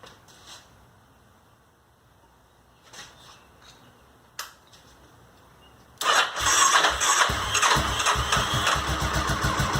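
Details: Honda SuperHawk 996 (VTR1000) V-twin just reassembled after rebuild, fresh pre-diluted coolant: quiet handling noises, then the twin catches cleanly and settles into a steady, even idle with crisp blips; normal start, though coolant climbed quickly to 102 and smelled hot.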